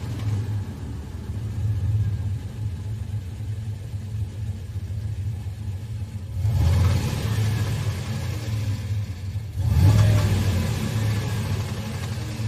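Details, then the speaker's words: Turbocharged 5.3 V8 Chevelle engine revved to about 2,000–3,500 rpm; a rough metallic rattle rides over the deep V8 rumble, swelling with each rev and lingering as the revs fall. The rattle has grown louder over time and its source is unknown. "uh the chevel 5.3 turbo the engine is making a weird rattling sound and I have no idea where it's coming from"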